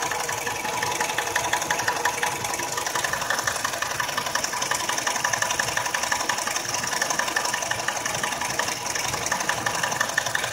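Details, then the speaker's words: Nissan X-Trail, about 346,000 km, engine previously rebuilt for oil consumption, warm idle after 11 minutes: steady light ticking knock about three per second near timing drive with hiss on top; quiet when cold, no codes, timing chain suspected. "вот ровно на 11 минуте мотор начал стучать плавно учит в районе привода грм"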